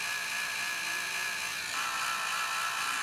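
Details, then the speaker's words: Aiwa GS110 Walkman cassette player under repair, drive motor running unloaded: thin, high steady whir with faint uneven flutter and no low end; sounds abnormal, suspected only because motor has no load; not confirmed. "i don't think it's supposed to be sounding like this but i have a suspicion that potentially it sounds like that just because it doesn't have a load"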